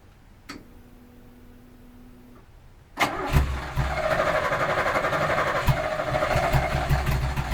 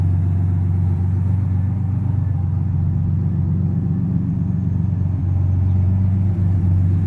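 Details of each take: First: 1986 Pontiac Fiero GT, first start after about five years sitting, with earlier battery problems; fuel pump heard priming, half tank. Quiet cabin with a chime, then the engine catches at about three seconds and settles into an even, building cold run. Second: 1986 Pontiac Fiero GT, first start after about five years stored: deep steady idle rumble slowly easing lower as engine warms after cold start, no clear knock; high idle still settling.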